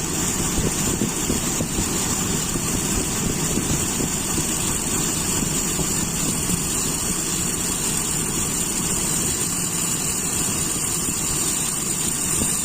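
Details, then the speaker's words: Toyota Kijang with Aisan carburettor, mixture screw opened back out about 2.5 turns without stalling: even, steady idle with constant loudness and no hunting or stumbling; normal idle. "Nah, enak teman-teman, ini sampai 2,5 putaran, tidak langsung mati."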